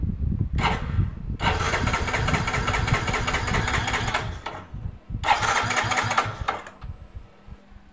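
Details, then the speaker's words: Yamaha Mio J fuel-injected scooter that died suddenly: starter whirs in two long bursts with a hurried, uneven churn, but the engine never catches; owner suspects fuel not reaching the injector, though the fuel pump hum sounds good. "dan motor ini tidak mau hidup ya Oke kita coba cek dulu untuk mesin ya kita hidupkan mesinnya Apakah ini bisa hidup atau tidak ya teman-teman"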